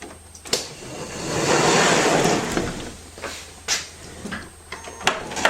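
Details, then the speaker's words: 2005 Toyota Sienna power sliding door after replacing the defective center hinge: smooth whirring slide about two seconds, then clean latch clunks with no scraping or binding; no longer hits, operating normally. "And it no longer hits anywhere down here. It does what it's supposed to do."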